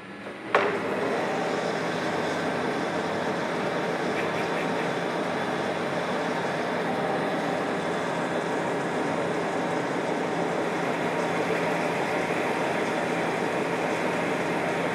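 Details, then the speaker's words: Lathe motor after the clutch plate rattle fix, having run for a while: a steady, even whir with no click-click from the clutch plate; the fix is still working. "So now we can hear what the lathe sounds like, sans rattle. So the motor's been on for a little while and still no click, click, click from the clutch plate."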